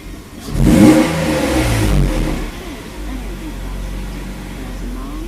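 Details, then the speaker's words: 1993 Mercedes 190E SportLine, 5-speed manual, 3.2L M104 swap, after wiring repairs; idle 650 rpm with good oil pressure: a crisp blip climbs fast and falls back cleanly to a steady idle. It revs freely and sounds healthy, with an exhaust leak noted. "it works nice revs up nice quick I like that"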